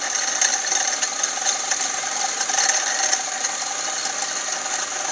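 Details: SRT-6 engine bay: light, rapid, sharp clicking ticks over a faint engine hum, no low rumble; car also leaking a lot of coolant; clicking source unknown.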